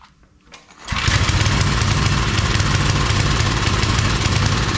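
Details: Homemade wood splitter with 5 hp Briggs engine, little fuel in tank, started without choke: quiet cranking, then it catches at once and settles into a steady, even chug with no stumbling; normal running.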